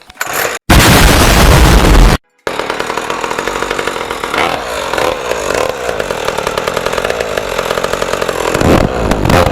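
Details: Rebuilt 49cc racing mini moto, pull-start two-stroke: catches after a few pulls, then buzzes steadily and revs crisply with even firing; sounds healthy.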